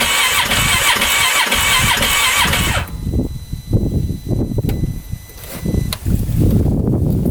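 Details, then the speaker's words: Freshly rebuilt 2015 Polaris Ranger 570 (about an hour on rebuild) that shut off riding in snow and backfired; starter churns with uneven chugs around three a second but never catches, fuel pump suspected, no-start, cause unclear. "well nothing fuel pump's [Music] gone wonder if we're not getting any spray in"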